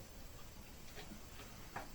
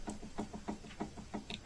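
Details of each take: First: Lincoln Navigator II steering rack on the bench after adjusting the rack nut while rocking it, turning the cardan shaft: quiet rocking with only faint light taps, the earlier knock over bumps gone. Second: Lincoln Navigator 2 steering rack on the bench, rocked by hand: sharp metallic knocks about three a second from rack-and-pinion play; adjusting nut slowly tightened until knock disappears.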